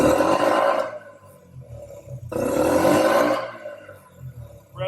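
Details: Yamaha Raptor 50 after a carb clean and tune-up, with throttle cable slack restored and the idle screw reset: two crisp throttle blips rev out cleanly and drop straight back to a quiet, steady idle, so throttle response is healthy.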